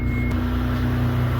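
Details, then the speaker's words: 1992 Dodge Stealth, first start in neutral after water pump replacement, inspection cover still off: a smooth, steady low idle hum with no clicking, clacking or banging. Normal idle. "That right there is purring like a kitten. Nice and stealthy."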